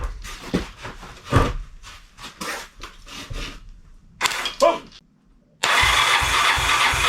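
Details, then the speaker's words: 1985 Honda ATC200X with freshly rebuilt Honda TRX200SX engine swapped in, first start with rebuilt starter: uneven cranking, then fast high idle as rigged throttle slide doesn't fully close, with sharp irregular backfire pops; timing problem suspected, not confirmed. "THE SLIDE ISN'T GOING ALL THE WAY down with my rigged up uh throttle there. We're going to be a little high RPM, but hey, my freshly rebuilt engine works."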